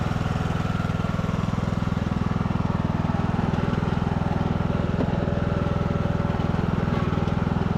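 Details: Craftsman YT3000 riding mower, abandoned four years, revived after old oil drained thin as water, spark plug cleared with compressed air and fuel dribbled in: even, steady low thump at constant pace, no pulley squeal or rattle; runs healthy.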